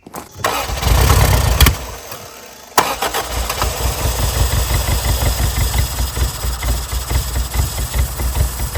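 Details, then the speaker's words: 1987 Toyota Corolla FX 1.6 L four-cylinder sitting since 1999, after vacuum hose repairs, first fire-up: cranking, stumble, catches into lumpy pulsing uneven idle with blue smoke at first; rough running, fuel system suspected not right. "She's gonna be a runner. Smoky. Whew. There it goes. Sitting there idling. For some reason that fuel system is not right though."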